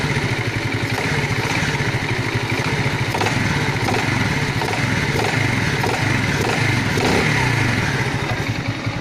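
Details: Alpha small engine knocking, owner asking for help: steady running with fast rapping knock over the exhaust note; internal engine knock, cause not yet found.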